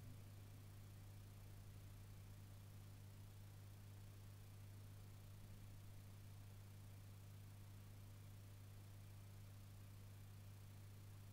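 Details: Peavey Valveking 212 guitar amp, idle: a steady loud low hum with a faint buzz holding level, noticeably louder than before.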